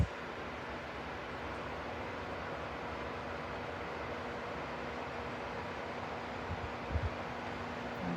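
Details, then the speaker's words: Lasko T42951 42-inch tower fan with oscillation switched on. A soft, even airy hush with a faint steady hum and no rattles or ticking while it sweeps quietly. Normal running. "It's really quietly moving."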